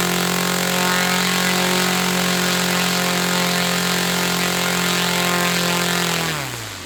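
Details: Saito FA-300T twin-cylinder glow engine, glow driver off, high-speed needle set 2.5 turns out. A steady, even high buzz with no misses, then it winds down at the end. Normal running on both cylinders.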